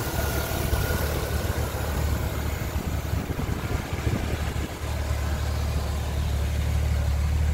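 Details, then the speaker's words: 1981 Jeep CJ-8 Scrambler after a frame-off restoration, carbureted without fuel injection: deep, steady idle right after a first-try start, with no stumbling, ticking or knocking. Runs smooth, normal idle. "so without fuel injection this thing fires first try every time really run smooth"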